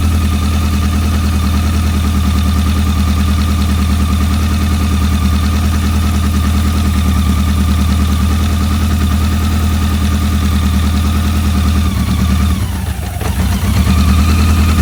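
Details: BMW K100, where a dirty #4 injector plug had caused a no-start: steady, even idle with a smooth low hum, no skips or knocks apart from a brief dip near the end; running cleanly.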